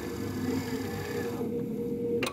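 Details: TX6000 power trailer dolly drive motor with the internal parking brake lever down (off): low, even motor hum under throttle with no clicking before winding down; running normally.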